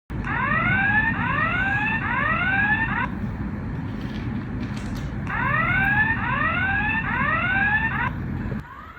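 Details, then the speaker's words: FA2000 face/fingerprint/card access control terminal after powering on: loud rising electronic whoops in sets of three, repeating; the anti-tamper button on the back pops out when the device is off the wall, not a fault. "Why does it keep alarming after powering on? It's not broken because of this anti-tamper button on the back."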